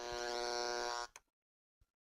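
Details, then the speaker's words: Noise sniffer plugged directly into a wall outlet, before the Panamax line conditioner: a coarse electrical buzz for about a second, then a few clicks, as the sniffer turns noise on the AC power line into audible static. "this device which is known as a noise sniffer it picks up any noise on an AC line and turns it into audible static so first we'll try it out right directly in the box you can hear how noisy the AC power is"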